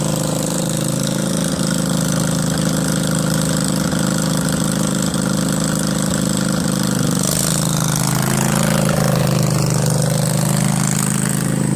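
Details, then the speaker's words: Craftsman 20.5HP 46" lawn tractor, Kohler Command V-twin, choke off, before carburetor cleaning: idle swells and sags, pitch lifting partway through, surging badly at all throttle speeds from a dirty carburetor. "right so now uh obviously you see it surges pretty badly"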